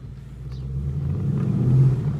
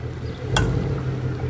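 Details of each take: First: 2017 Ford Mustang GT (S550) on a road test after replacing the left rear half-shaft thrust washer, which had caused clunking on drive–reverse shifts and hard driving: smooth low rumble builds evenly as it pulls away, no clunks from the rear axle. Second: 2017 Ford Mustang GT V8 with H-pipe exhaust at idle: a single sharp clunk and ticking, which also occurs shifting between drive and reverse and under hard driving, from a worn thrust washer on the rear half shaft behind the hub bearing; the washer was replaced to fix it.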